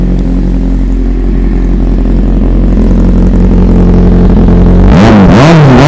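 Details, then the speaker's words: 2013 Kawasaki Z800 four-cylinder, 33,000 km, Yoshimura exhaust: steady even idle then quick clean blips, no knock or rattle; starts easily, revs freely, engine healthy. "บอกเลยนะว่าเครื่องดีนะครับ"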